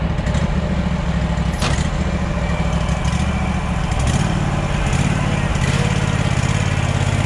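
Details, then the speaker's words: Mower that otherwise cuts fine: a low, lumpy putter with an uneven beat instead of a smooth idle. A stretched throttle cable is suspected, not confirmed. "sometimes when we hear the puttering we instantly freak out I know I have always in the past"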